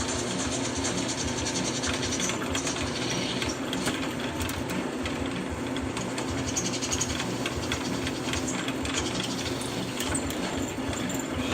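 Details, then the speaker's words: Harbor Freight drill bit on a home-made liquid-cooled drill press, after over 300 holes: even continuous cutting hiss and chatter over steady motor hum; bit still sharp and cutting well. "still a happy drillbit so you can drill over 300 holes using a Harbor Freight drill bit"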